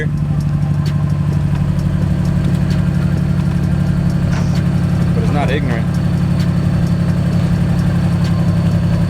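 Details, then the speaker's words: Infiniti G35 VQ V6 at first start after test pipe install, heard from the rear: steady, slightly uneven idle with louder, raspy exhaust and faint puffing; the exhaust leak remains, suspected at the flex joint. "i'll give it a couple reps that exhaust leak is still there it's yeah much louder"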